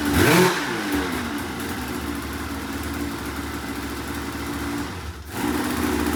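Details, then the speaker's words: 2004 RMK 800 two-stroke snowmobile, first start after a couple gallons of gas and used head O-rings, compression earlier about 145 on one cylinder; crisp blips then a steady, even run, no knock or misfire; sounds healthy. "oh wow it actually sounds pretty good i'll fire let's cool down i'll fire it up again later"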